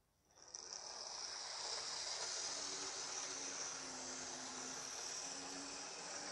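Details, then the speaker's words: Second-hand Lima Class 73 model locomotive 73108, on track during a 30-minute running-in session. A thin, steady high motor whine at even pitch with no stutter or labouring. It is normal running, not struggling with the tyres. "it's not struggling with the tires so there you go I'm happy"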